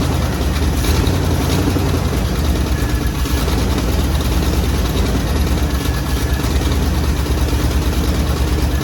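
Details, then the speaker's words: 1957 Chevy Bel Air, 350 Chevy crate V8 with new Edelbrock intake and Rochester Quadrajet, first run in years after fuel system repair and timing adjustment: loud, deep, even V8 rumble at idle and revving, no ticking or misfire; runs healthy. "give it a REV yeah do it again give it a r [Music] again yeah sounds good all right let's shut her down sounds good"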